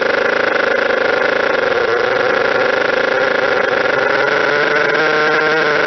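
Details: Model twin rotary engine after fixing stator gear-mesh noise from a bad crank and housing, with plates 0.005 mm out corrected by reskim and shim: steady, smooth mid-pitched drone with no gear grinding or rattling.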